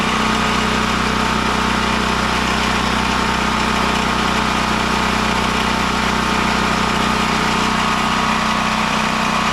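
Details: Westinghouse WGen9500 generator after no-spark repair: steady, even drone at constant speed with no stumbles or surging, heavy smoke in the shop; normal running.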